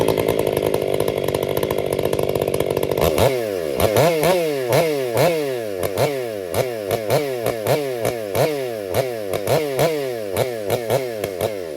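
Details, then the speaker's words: Krafterized Husqvarna 562XP Mark II ported chainsaw, warmed up, bucking oak: screaming top revs then a choppy flutter of quick rpm dips several times a second, bouncing off the rev limiter, not four-stroking. "That way up there high like that is not four stroke. That's bouncing off the limiter."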